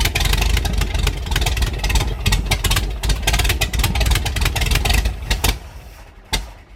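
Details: 1973 GMC 432 cu in V6, pulled from a parted-out truck in early 2019 and unstarted since (about 5 years), with fuel fed from a can, catches on start: uneven firing, surging revs easing off; engine catching after storage.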